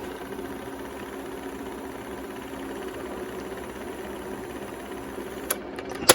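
A quiet, even motor whir runs smoothly with no dragging or speed wobble, ending in a couple of mechanical clicks, so the rewind is working properly.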